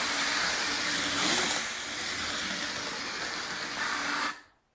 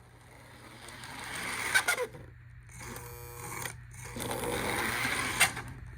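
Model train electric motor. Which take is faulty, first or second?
second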